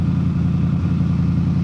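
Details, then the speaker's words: 1970 Donohue Javelin, 390 V8 with rebuilt original Motorcraft 4300 carburetor and chambered side pipes: deep, even burble with no misses or knocks, settling to normal idle as it warms up. "down to a normal idle now that it's warming up"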